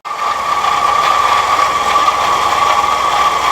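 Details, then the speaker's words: MGB GT: the rattle stopped with the alternator belt off, then returned at idle with a shorter 813 belt fitted; steady mid-pitched ringing rattle, louder engine noise; water pump suspected, not confirmed. "and there we have our engine noise back, so I think the issue is the water pump."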